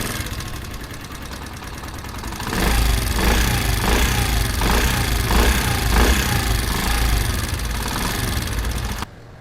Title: Engine noise problem #automobile #experimnent #experiment #bikeparts #shortsfeed #motorcycleparts